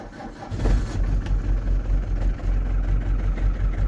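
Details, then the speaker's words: Camper van engine starting after a battery fault left it dead about a day and a half; new battery just fitted. Short crank, catches at once and settles to a steady, even low idle rumble. Normal start. "Il n'avait pas démarré depuis un moment, les amis. Ah, je suis content. Ça faisait quand même une bonne journée qu'il n'avait pas démarré."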